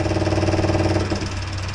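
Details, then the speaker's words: Long-abandoned 1200cc Thunder Roadster race car, fuel pump wired to a simple switch: steady electric hum whose note drops and roughens about a second in as fuel starts flowing; pump priming and working normally. "There we go. You can hear the the change cuz fuel started to go through it."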